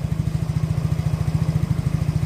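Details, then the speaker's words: Yamaha Mio J scooter, cold engine, idling evenly with a steady low thump; the idle speed is normal. The complaint is hard starting, hesitation and stalling off throttle, and the injector had already been replaced. "putaran mesin langsam normal masih plus Kondisinya masih dingin"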